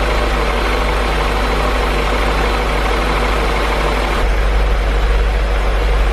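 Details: 2003 BMW E39 M5, S62 V8, mostly stock with stock exhaust, not a completely cold start: steady, even idle with a smooth low rumble and no rattle or tapping; owner hears pretty much no VANOS noise. Normal idle.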